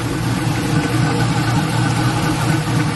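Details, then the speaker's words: LS-swapped Black Haven Buick Regal V8 idling after a thermostat change and coolant refill, leak check: steady, even low rumble, no knocks, misses or whine; "sounds pretty good", healthy. "but on another note sound pretty good pretty good"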